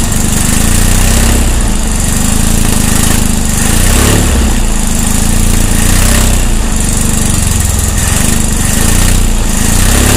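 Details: 1600 dual-port engine with fresh heads from the shop, timing 7.5° BTDC, valves at 0.006; loud lumpy running with uneven surges every couple of seconds, cause unknown; backfiring through the carburetor.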